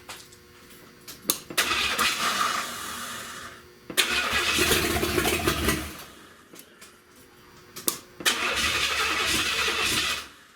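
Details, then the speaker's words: Unmuffled open-exhaust first start-up of a 1970 Buick Wildcat convertible 455, no exhaust fitted: three ~2-second revving bursts dropping back to low idle, no knocking heard underneath; engine sounds healthy, though a big oil leak is noted. "Man, that engine sounds good to me. Like I don't hear any knocking, but let me see."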